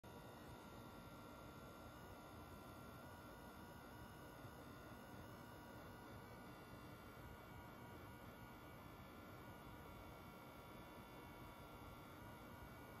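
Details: Brand-new day-one PS5 idling on a game's pause menu, no downloads or installs, with or without a disc: even, unchanging electrical hum and buzz during gameplay that stops only when games close; owner suspects coil whine or power supply.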